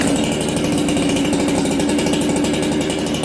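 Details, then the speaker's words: Ported Husqvarna 266XP chainsaw with new full-wrap dogs, first start in a year, in a cold, humid shop near freezing: a crisp, even two-stroke buzz at high revs with no stumble. Throttle is crisper, it restarts well, and the idle is slightly fast. "Okay, so you guys hear it's got crisper throttle now. It restarts well."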